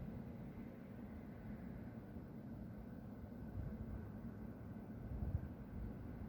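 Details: Steady, distant low roar without rhythm or pitch change from the industrial plant next to a home at half past midnight, with white smoke rising; resident suspects a compressor being emptied, unconfirmed.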